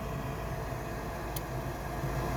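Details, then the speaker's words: 1969 Ford F100 heater blower motor switched on after bridging a blown fuse with gum wrapper foil: steady low hum and airy rush at even pitch, no rattle or squeal; fan runs normally. "So I've got the heater blower motor on. I'm watching the fuse. You're watching it with me. Kind of nervous. Hey, motor came on."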